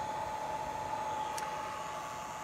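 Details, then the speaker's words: Inverter on an experimental A123 lithium NMC 25.6 V solar pack, output above 120 V with no load: thin steady tone around 900 Hz over soft hiss, holding constant; unloaded inverter buzz. "and it kind of buzzes a little bit if it doesn't have a load on it"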